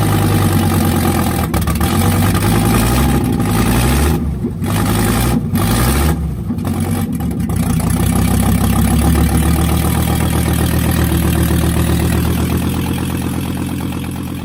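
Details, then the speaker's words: 1984 Audi 4000 Quattro five-cylinder at first start after reassembling the intake, CIS fuel injection, ignition and vacuum systems, with the exhaust disconnected: a loud, raw, uneven rumble settling to a steady idle after a blip. It runs normally. "uh exhaust is disconnected so it might be a little low"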